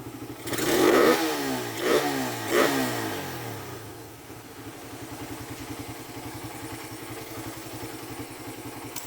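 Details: Single-cylinder motorcycle with 28 mm Keihin carburetor; it previously bogged on throttle opening and hard-started when hot. Three crisp throttle blips that rise and fall cleanly without stumbling, then an even idle. Throttle response is now normal.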